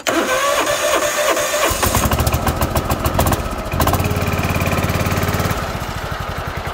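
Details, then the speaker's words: John Deere X324 bought at auction: starter whirr, then small engine catches and runs with an uneven, slightly rattly beat; sounds loose, as if it has many hours (owner's opinion, not confirmed). "Motor sounds a little loose, like it's got its share of hours on it. That's my opinion."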